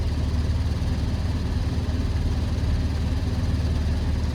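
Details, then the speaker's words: Goodman gas furnace on a no-heat call, space at 56°F: steady low blower rumble with no burner roar; control board flashes six times, indicating an open manual-reset flame rollout switch. "so that's six flashes check again so six flashes so from experience I know that six flashes that's the flame roll out flame roll out"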